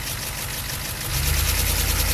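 A deep diesel idle with a dull knock that grows firmer in the second half; the source of the knocking is unknown.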